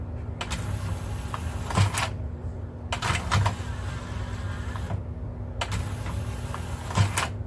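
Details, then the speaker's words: Technics SL-P170 CD player after loading belt replacement (old belt had lost its stretch); short motor whirrs ending in firm clicks, tray moving smoothly with good torque; normal tray operation. "seems to it feels like it has pretty good talk there when I put a little bit of pressure on the on the door on the way open you can feel that it's pushing quite well looks good"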